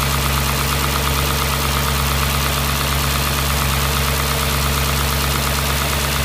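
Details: Audi S4 B6 V8 at idle: a steady hum with a faint clatter underneath at about one per second; the engine noise source is unknown.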